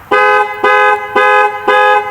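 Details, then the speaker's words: 2012 Jeep Liberty, horn set off with the key-fob panic button while checking for a fault (owner suspects a clock spring or fuse): four clean, evenly spaced blasts about two per second at a steady full tone; the horn itself works. "3 so we got a horn guys the horn works"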